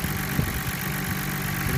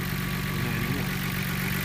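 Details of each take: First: Nissan Skyline R32 GTR, cold, idling at about 950 rpm after gasket replacement and AAC valve adjustment. Soft, irregular low knock-like thumps are mixed into the engine note; the cause is unclear and it may be normal. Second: Nissan R32 GTR after vacuum leak repair (gaskets replaced, AAC valve adjusted per service manual), idling about 950 rpm: steady, even idle with smooth low hum, no hunting, stumbling or hiss; quieter overall, normal idle.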